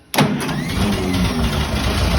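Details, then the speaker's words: Ferguson TED-20 tractor with a new carburetor, loose fan belt since tightened after squealing: it turns over once and catches at once, then runs steady and even with no misses or knocks. Normal key start. "Overall, this thing starts and runs perfect. You can hit it with the key, and go"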